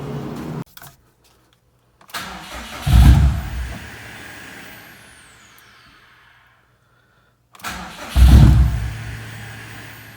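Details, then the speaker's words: Subaru STI with freshly assembled EJ257 engine just installed, battery newly fitted after being disconnected, cranked around midnight: two bursts of starter cranking, low churn, never catches. Owner suspects Subarus need several cranks after battery disconnection; left for the next day. "it'll probably take a few times cranking if you know anything about subaru's they don't like to start after the battery's been disconnected"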